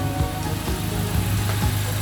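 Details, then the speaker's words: Honda Civic Type R turbo engine at operating temperature after a brief rev: steady, even low idle with a soft whoosh of the radiator fans, which have switched on as they should. "Yes, it's on. It spins. Okay, the engine runs at temperature."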